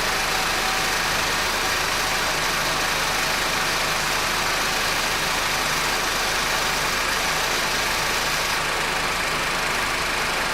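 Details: Honda R18 at idle: steady high intermittent "zzzzz" buzzing hiss over an even idle; worn, dry belt tensioner bearing.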